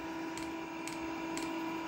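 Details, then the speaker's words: Diesel air heater, with its leaking diesel feed pipe trimmed, during startup before the burner lights, still blowing cold air. A steady fan whir with a soft tick about every half second: normal fan spin-up. "Certainly the fan's picking up. That's cold air coming out at the moment."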